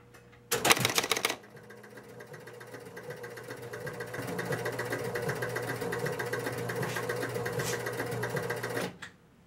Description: This episode: Very little action here. Try to reset, nothing really moves, and the score motor runs.